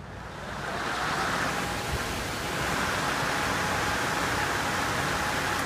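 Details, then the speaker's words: Upgraded replacement pellet stove exhaust blower (1.75 A high-current, large blades, ball bearing, more magnets) on a spin test: steady airy whoosh with an even hum, no rattle or bearing growl. "and you can see how much more powerful that is it's got more magnets for higher torque a nice ball bearing and a nice big um uh coil winding"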